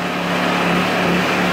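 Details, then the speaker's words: Ryobi RYi2200 inverter generator, about a week old, cold-started on the choke after sitting a couple of days, in regular mode (high idle) in a garage: steady buzzing drone at constant pitch, no surging; normal high idle, louder than on eco idle. "when you started up initially it does kind of go through a high-rent cycle and then it will it'll shut down it'll probably drop ad about 70% of films and volume on a standard Idol"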